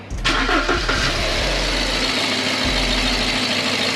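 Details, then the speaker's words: BMW E93, after new spark plugs, oil filter, replacement airbox and new air filter, previously very shaky and rough: catches quickly and settles into an even, steady idle with no stumble or shake; normal idle. "It's running smooth. No more shaking. It was very shaky, very rough."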